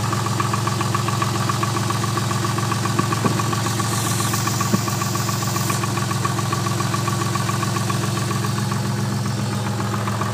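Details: Twin-turbo Toyota Supra at idle: steady idle with a regular knock, about three to four per second, tied to engine speed; owner suspects piston slap, unconfirmed.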